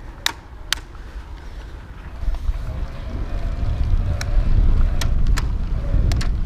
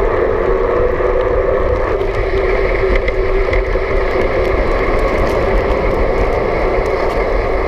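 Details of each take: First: BULLS Lacuba EVO E8 e-bike internally geared hub while riding: several sharp clicks when shifting with too much pedal pressure, hub won't shift right away; gear hub clicking under load. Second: BULLS Lacuba EVO E8 e-bike, belt-driven mid-drive motor with Nexus 8-speed internal hub, lowest assist, pedaled fast while riding; faint steady electric whine rising slightly with pedal speed over wind and road hiss; normal mid-drive motor whine.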